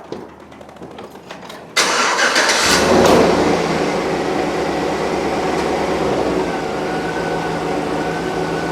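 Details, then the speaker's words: 2008 Chevy Suburban air ride suspension compressor after replacing the rattling unit: engine fires and settles to an even idle, compressor adds only a faint steady hum with no rattle; normal operation after repair. "Hopefully it won't make that racket. All right, everybody, the moment of truth. We're going to look hot. No racket."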